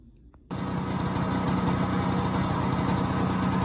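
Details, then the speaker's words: BSA Ariel 3 (K2) two-stroke moped, pedal-started during clutch-issue repair and testing: catches instantly from silence and settles into a quick, even putter around four beats a second; fired up quickly, running healthy. "There we go, success. She fired up really quickly. Didn't take the number of yards that they normally do, so that's great."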